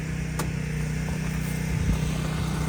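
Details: Champion generator running in cold, snowy weather as house breakers are switched back on: steady low drone with an even, unchanging pitch as the load comes on, powering the rain-catchment pump. It holds speed fine.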